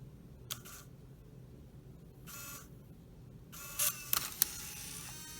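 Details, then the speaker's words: 2004 Saab 9-3 Clarion CD unit on the bench after repair, disc still spinning, powered to eject before reassembly: short motor whirs with sharp clicks as the disc is driven out; normal CD eject. "so now we're going to assemble everything I'm going to eject the CD um you know before I assemble the entire thing so let's do that"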